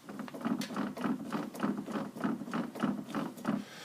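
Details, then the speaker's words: 2016 Yamaha Grizzly, right front axle spun by hand with axle loose: slow, rough click-and-scrape about twice a second with tension and binding; noise seems inside the front differential; left side spins free and quiet. "if I just spin the axle sounds like all the noise is inside the front diff there's a lot of tension and clicking"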